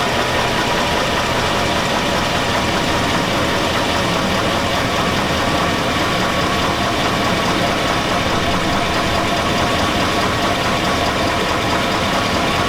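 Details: 2002 Chevy Avalanche 5.3L V8. A steady idle has a metallic clatter running under the engine note throughout. The owner says it sounds like rod knock, so bottom-end trouble is suspected but not confirmed.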